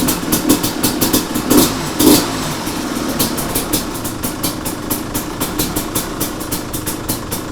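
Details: 2005 Kawasaki KX250 two-stroke, first kick start after rebuild for low compression (shot piston, crank play), choke on: crisp crackle with regular exhaust pops, blipped early then settling to a steady even idle; normal running.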